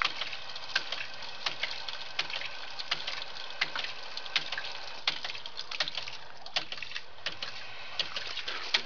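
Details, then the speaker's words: Homemade ram pump, 4 ft of fall, about 15 ft of head, 1-inch drive and pump, 1/2-inch output; sharp wooden clacks about 80 a minute over trickling water as the waste valve slams shut normally once the valve is cracked open. "now we crack this valve here and you'll hear you'll hear the second valve start [Music] clicking"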